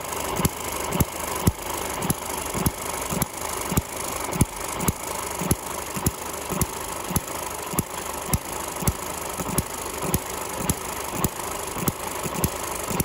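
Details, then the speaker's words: Eachine ET6 hit-and-miss model engine after slackening a head bolt that pinched the exhaust rocker shaft, letting the governor latch-out engage; sharp firing pops almost twice a second with coasting between, governor latching cleanly, running much better. "which should mean that it misses more often in theory anyway so we're going to fire it up now and just see what she runs like see the governor's working much"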